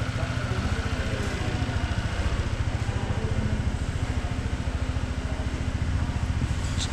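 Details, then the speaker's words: 2011 Honda PCX (old model), first start after an engine rebuild of crank and rings; it previously burned oil and rattled. Idling with no variator fitted at the start of break-in: a steady, even single-cylinder putter with no knocks, healthy. "şu anda gerçekten hiç yok kendi halinde çalışıyor çok gaz veriyorum sıkıntı yok"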